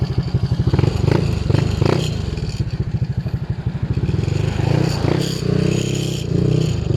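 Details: Honda Click scooter with a 59mm MTRT steel-bore stage 2 upgrade and a lightened magneto, on a short break-in road test run without a radiator: a steady, quick exhaust beat that rises a little with throttle, with no ticking or knocking. Runs quiet and healthy.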